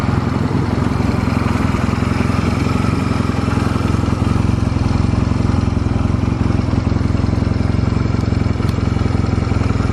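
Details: Stored Honda Rebel 250 Special (MC13): steady, even low idle on start-up with a smooth beat and no knocks, ticks or rattles; no abnormal engine noise.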